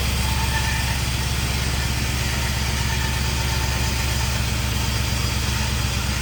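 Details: 1951 Chevy with LS swap at first start-up: lumpy, uneven idle with a steady chuffing beat and missing pulses, running on only four cylinders because the injectors on one bank aren't firing; harness later swapped side to side.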